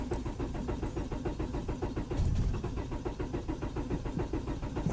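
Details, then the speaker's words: 1999 Honda Accord LX crank no-start: steady, even starter cranking at about four turns a second with no catch, despite spark at all four plug wires and good main relay solder joints; a little gas sometimes helps. "so this is a 99 Honda, and I'm not sure why, but it's just not catching. It's got crank, it just doesn't want to turn over."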